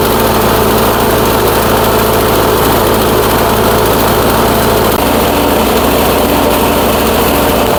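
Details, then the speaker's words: Troy-Bilt Storm 2410 snowblower single-cylinder engine, smoking, running worse as it warms up: irregular lumpy chugging that shifts partway; rough running, owner suspects fuel-washed rings, borescope shows cylinder scratches. "Well, the warmer this engine gets right now, it's definitely running worse than what it was."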